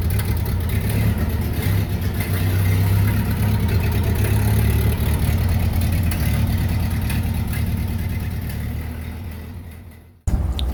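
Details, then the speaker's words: Old flathead engine dated May 1931, sat in a garage over 40 years, cleaned and refitted: deep, steady low rumble with an even firing beat until switched off; runs smoothly and sounds healthy. "40 years out and running got it out for a little spin today"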